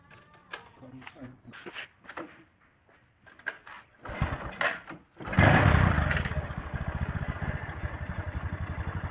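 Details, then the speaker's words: Honda Supra X 125 first start after rebuild with new oversize 100 piston and rebore; light quick tick-tick over steady single-cylinder idle from loose valve clearance needing adjustment. "setelan sini ya yang bunyi tik tik tik itu loh Itu setelan klep Lur"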